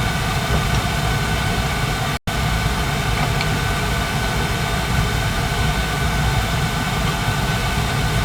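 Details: Carlin gas conversion burner (replacing an oil burner) on a boiler that had been tripping safety reset; steady even roar with low rumble, no surging or cutting out; firing normally after flame sensor cleaning.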